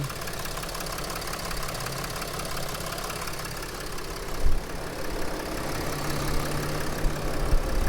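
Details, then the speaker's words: 2007-2010 Mercedes Sprinter NCV3 diesel idle after reseating the turbo resonator; less turbo noise, more engine noise, no escaping-air hiss, steady low rumble, sounds significantly better. "that sounds significantly better we went to look at it it sounded like there was a lot of air escaping and I think that pushing the resonator pieces together really helped quiet it down and bring out more engine noise and less turbo noise"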